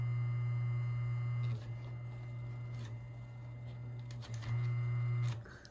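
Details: 1994 Lakewood HV-18 fan motor after cleaning and oiling: steady, even low hum with no rattle, scrape or bearing squeal; normal running after service.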